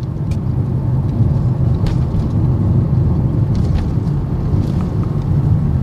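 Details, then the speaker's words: 2022 Honda All New BR-V cabin after full-cabin and front-underbody sound deadening, done for a complaint of tyre noise intruding into the cabin; on very rough asphalt at 30 to 50 km/h only a soft, even low tyre rumble. Road noise is much reduced. "Dan sekarang kita masuk ke aspal yang kasar banget. Di speed 30, gerungan bannya minim banget."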